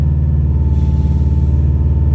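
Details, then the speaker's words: Subaru WRX held at steady revs on a freezing night gives a heavy, uneven low rumble that will not climb cleanly and wants to stall, with backfires; misfire suspected, and the owner links it to recent rain. "the car wants to die out i can hear it yeah you see that doesn't want to pass"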